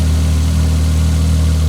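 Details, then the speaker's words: Old fuel-injected four-stroke snowmobile just restarted after 30 days underwater, dried out, oil drained, connections greased: steady even low idle with smooth deep hum, no knocks or misses; normal idle. "there she goes we got her yes she's running"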